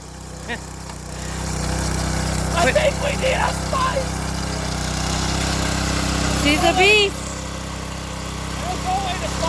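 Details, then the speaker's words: Garden tiller's small single-cylinder engine, previously seized and repaired, idling outdoors with no clutch: steady even putter, no hunting or missing, no smoke; running great. "just doing it on idle for now it engines running great not even smoking whatsoever"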